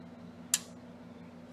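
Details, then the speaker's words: Sony STR-AN1000 receiver during repair of a no-power fault: two sharp clicks about a second apart over a low hum as the relay engages on standby, then the receiver drops into protect mode. "Yep. I do have the standby. I did hear the relay. You can see the orange light."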